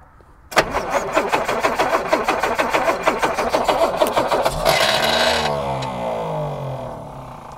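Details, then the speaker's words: 1962 Jaguar Mk10 sat 15 years, first start attempt with fuel pump on: uneven, heavy, labored cranking about three strokes a second with drag on each compression; starter struggling, cause not confirmed. "Starter motor, not happy."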